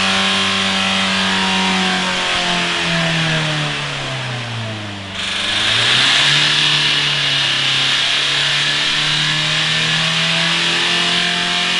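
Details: Mitsubishi Carisma diesel overfilled by a few litres of engine oil: engine sags briefly, then races back up and holds high revs on its own with no throttle change; diesel runaway on excess oil.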